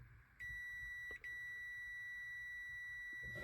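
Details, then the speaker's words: 36V/48V golf cart or Taylor Dunn solenoid on the bench, coil energized: the multimeter gives a steady continuity beep of about three seconds with one short break across the poles, so the solenoid contacts are closing normally. "So I'll actually have continuity on this side across these poles because this one's touching right now. All right, so it should be the same on this one. I have continuity across there."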